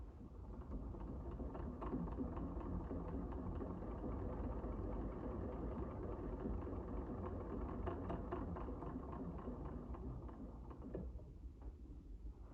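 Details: Singer 99 oscillating-shuttle sewing machine, black badge, sewing single-thickness fabric with a small delicate stitch: even, light whirring run with steady ticking about four times a second, no knocks or grinding. Sews smoothly.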